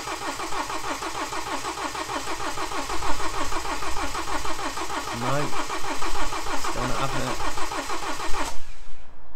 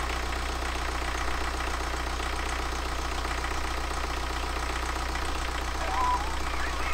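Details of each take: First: BMW N47 diesel with replaced timing chain, refitted engine, first start: starter churns in even beats for eight seconds without catching; fuel rail and pump drained dry, air in fuel system needs bleeding; extended cranking no-start. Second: BMW N47 diesel refitted after a broken timing chain, first start with no antifreeze in: steady, even diesel clatter at idle with a smooth low rumble, no misses, knocks or vibration; idling healthily.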